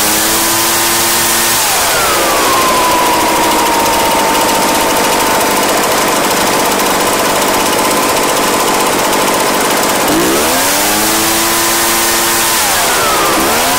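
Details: Echo PB-755ST two-stroke backpack blower, bought new two years earlier, after fresh fuel and carburetor adjustment (it had been bogging and dying under throttle/load); high two-stroke scream climbing and holding full revs, dropping and rising again cleanly, running normally.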